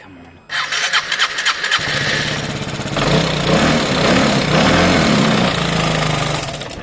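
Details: Piaggio Fly 125 scooter after a fuel injector replacement, bearing work and new air filter, oil having entered the cylinder earlier: a few quick cranking turns, then it catches cleanly and settles into a steady, even run; a healthy start.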